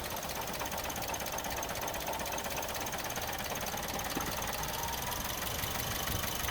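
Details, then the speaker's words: Suzuki Swift restarted while investigating a rattling part thought to contain a spring, suspected to be an EGR-type emissions device: thin, uneven running with irregular stumbles and ticking over a faint hum; misfire. "let's start it up again it's gone oh she ain't liking that yeah she ain't liking that at all"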